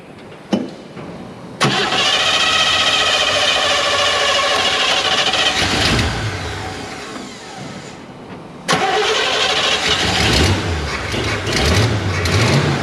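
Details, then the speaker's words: Chevy Nova Super Sport after a replacement distributor with vacuum advance, vacuum gauge fitted and air cleaner refitted; the thermostat gasket needs replacing. It catches first try and settles into a steady, even idle with no misses or knocks. Normal start and smooth idle. "look at how smooth that thing's running i think it's time to go for a ride what do you all think"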